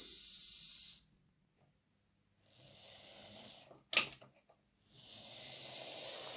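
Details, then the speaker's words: Lima Class 55 Deltic model locomotive run on a battery after a noisy gear (squeal, louder in reverse) was cleaned, filed and replaced. Short bursts of a smooth high-pitched whir with no grinding or clicking: normal gear drive after repair. "Let's see what this sounds like with the battery. Yeah, see, that sounds better."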